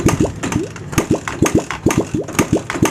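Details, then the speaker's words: Suzuki Satria FU 150, spark, fuel and compression checked normal, valve clearances fine: uneven starter cranking bursts about two per second with no catch and no carburetor suction; carbon-stuck piston rings not expanding cause the no-start. "Oke jadi penyebab utamanya ada di rank piston yang tidak Mekar"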